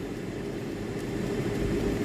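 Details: Tefal air fryer EY201866 that would not power on or heat, after thermal fuse replacement: a steady, even whirr with a constant mid tone and no rattle or scrape. The fan runs smoothly; power light now normal.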